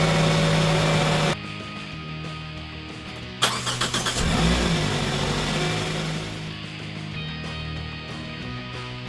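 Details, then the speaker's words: Pontiac, first start after timing chain work: starter whirr, then a brief metallic rattle as it fires and settles; the new dry tensioner has no oil pressure yet, so the chain slaps. "And we're going to get that same rattle on fire up for the first time. Because that tensioner is not... doesn't have any oil pressure in it because it's dry, right?"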